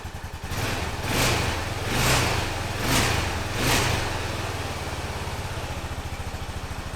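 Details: 2005 Honda TRX650 Rincon, 650cc single-cylinder four-stroke, in neutral while warming after a no-run condition: four quick throttle blips about a second apart, then an even, steady idle that holds well; runs healthy.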